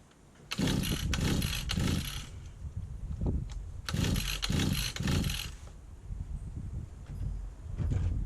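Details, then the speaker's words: 1991 Victa VS19 straight-shaft two-stroke strimmer, carb just refitted: several pull-start bursts that buzz briefly then die instead of idling; won't keep running, owner suspects the old throttle cable needs adjusting. "I've got life. Just didn't stay running, that's all."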